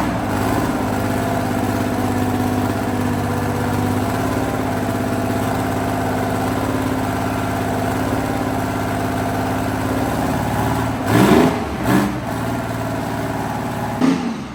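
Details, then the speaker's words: Abbot diesel engine in workshop repair: runs steady but rough with uneven low thrum and sharp knocks; a component was found snapped off the side of the engine, a part that should have been removed. "The whole thing is snapped off the side of the engine."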